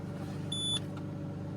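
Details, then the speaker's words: Car engine just after a cold start, stationary, VVT system grinding briefly at startup as expected: low, even hum at raised idle about 1000 RPM with a short chime, no knocks or misses; normal cold fast idle. "You can see it's still high. Right now it's showing 1000 RPM."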